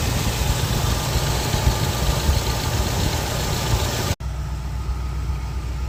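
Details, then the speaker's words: Petrol car idling with steady even exhaust rumble, no gurgling, after repairing a burnt-through exhaust part with a hole that had been cut off and hammered flat. "yep good to go no more gurgling noises"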